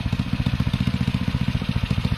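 Even, quick putt-putt at about eleven beats a second, steady and unbroken; this little engine is idling smoothly and healthy.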